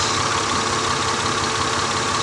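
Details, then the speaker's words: 2000 Honda Accord V6 with flashing check engine light; new spark plugs did not fix it. Steady idle with a faint uneven stumble. Swapping coils and drop-testing showed the misfire followed the coil, so the ignition coil needs replacing. "sure enough nothing so it just needs an ignition coil so I'm gonna go ahead and call the owner and tell him to drop off an ignition coil"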